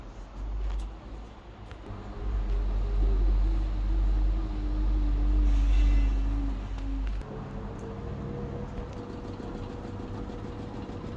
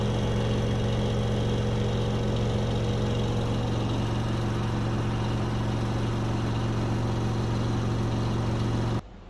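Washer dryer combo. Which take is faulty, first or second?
first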